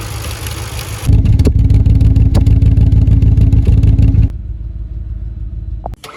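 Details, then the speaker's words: Audi S4 B6/B7 4.2 V8 on a cold start: it flares up with a harsh metallic rattle lasting more than a few seconds, pointing to worn timing chains and tensioners needing replacement soon. Timing chain rattle on cold start. "chain rattle on a cold start if it's just a couple of seconds it's sort of normal if it's more than 3 or 4 seconds you definitely should be concerned that the chain will need doing soon"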